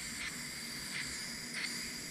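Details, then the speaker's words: Heat pump reversing valve on the bench, nitrogen fed through a tap where the capillary tube left the discharge: a steady thin hiss as gas flows through the pilot port. The pilot valve is open and working. "I don't know if you can hear that in the video but it's coming through right there"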